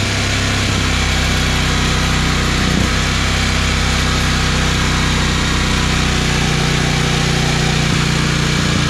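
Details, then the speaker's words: Generator in a bus-to-RV conversion fed by a new 12 V 5.5–9 psi fuel pump, checking the needle valve against the pressure. Steady even drone with a constant low hum, no surging or misses. Normal running. "let's see if the generators needle valve can handle at counter pressure oh that sounds so much better"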